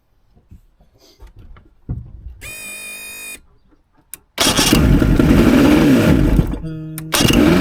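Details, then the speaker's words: Mercury 115 outboard after reconnecting and priming fuel line: catches and immediately races fast and loud instead of settling to idle, still revving as before; high surging idle, later traced to the butterflies. "Looks like it's still revving all funny."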